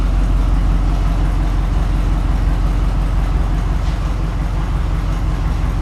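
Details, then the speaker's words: Grain truck V8 with new dual exhaust, idling unloaded; deep steady burble with a crisp bark, no ticking or leak puffing, where exhaust leaks were heard before; normal idle. "Not going from the exhaust leaks. That dual exhaust sounds good on there."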